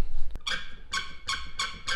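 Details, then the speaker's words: Old white car for restoration, with noises to fix: five sharp rubbery squeaks about two-thirds of a second apart. A rubber squeak from the body, with the source not yet found. "이런 소리나 이런 고무 찍찍하는 소리들, 그리고 이것저것들 리스트를 한번 만들어 봤습니다."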